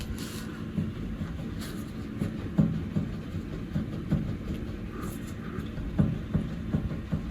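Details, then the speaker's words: Kia Rio 2 (JB) steering rack, replaced about 20,000 km earlier, engine off, long side rocked by hand near boot: irregular dull clunks; play suspected in rack bushing near the boot, not confirmed. "вот оно стучит стучит где-то в районе ну короче рейка и там втулка есть где-то вот ближе к пыльник у"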